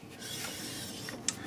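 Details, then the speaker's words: BMW R1200 GS Adventure LC front wheel turned slowly by hand after it was dropped. A dry scraping rasp is heard as the disc moves out away from the carrier. The owner suspects a warped rotor and plans to replace it. Brake disc rubbing. "I hear it rubbing right there. And you can see it moving out away from the carrier. Rubbing."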